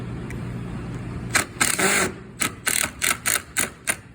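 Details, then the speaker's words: Driving screws while assembling a glued table base: harsh rattling bursts as the drill bit slips and chatters in the screw head. Bit camming out from not pushing hard enough. "That noise that you just heard was a terrible noise, and if you make that noise, I'm probably gonna holler at you from across the room and yell, push harder."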